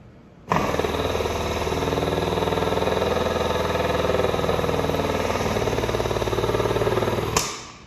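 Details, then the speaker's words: Hand-built louver press punching a louver in a metal panel with Tuck Industries Winfield dies. Steady pulsing drone, then a sharp cutoff as the punch bottoms out, signalling the stroke is done: a normal, complete louver punch stroke. "You can hear it kind of bottom out. That's when you know it's done."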